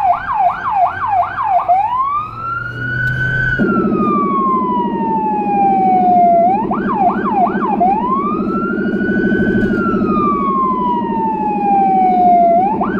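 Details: Federal Signal Rumbler on a small emergency car in Budapest: wailing siren sweeps up and down over a steady deep pulsing 180–360 Hz low tone; siren and Rumbler working as intended.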